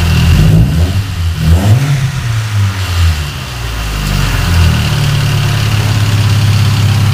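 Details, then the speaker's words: Car that ran rough after head repair, after replacing the spark plug wires: engine blips through a couple of revs, then settles into an even idle with no misfire, spitting or popping; smoother, with more power. "okay sound better yeah sounds like it has more power"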